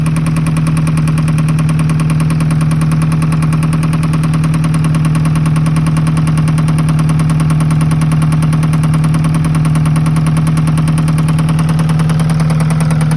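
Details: Alfa Romeo 156 1.8 at steady idle: constant, even tapping beat about two per second over the engine; engine knock, cause unknown.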